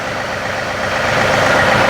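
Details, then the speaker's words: John Deere 3038e diesel tractor after rockshaft valve disassembly and adjustment, three-point hitch raised through positions to nine: smooth, steady idle with no strain, groan or pump squeal; hitch stops without binding the pump, normal hydraulic operation. "and it's stopping perfectly now 5 6 7 eight and then go all the way up to nine and it stops without binding the pump uh so that's great"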